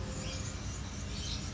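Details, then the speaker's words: Acer laptop with a corroded, blown left speaker: rough, scratchy crackle over playback as the damaged cone rattles and distorts; torn or blown, to be glued or replaced. "Jadi hari ini saya akan mencoba menservis speaker yang ngerek-ngerek. Prek-prek-prek-prek seperti itu. Itu kemungkinannya sobek ataupun jebol ya."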